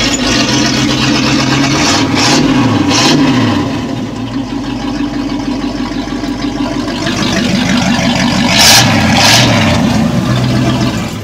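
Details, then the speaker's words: K10 Chevy 4x4 350 small block running with the stock exhaust removed before fitting headers and dual exhaust: loud raw V8 blips and falls back to a lumpy, tractor-like idle; open exhaust, not as bad as expected. "actually it doesn't sound too bad that's kind of funny restricted yeah exactly"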